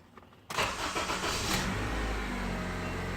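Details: 2009 Honda Civic: starter engages abruptly and cranks with an uneven churn but engine never fires; fuel pump relay clicking and no spark.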